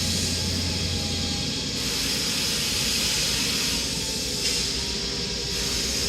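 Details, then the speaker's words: Brand-new Oliver 50 gravity table with adjustable fans, fan three slowed down, in an active shop: steady airy hiss with even tone, no knocks or rubbing; normal fan operation. "this unit just hums right along there are no irregular noises"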